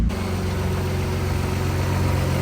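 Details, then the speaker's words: Audi B5 S4 just after water pump and timing belt job, following coolant loss and overheating, check engine light from flex fuel sensor calibration: steady even low idle, smooth hum, no knocks, ticks or whine; running healthy. "she's sounding good. Firing away."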